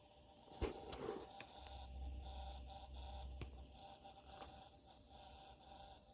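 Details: Brand-new NZXT Kraken Plus 240 AIO CPU cooler (RL-KN240-B2) pump making a steady low buzz with a thin electric whine, plus a few sharp knocks from handling.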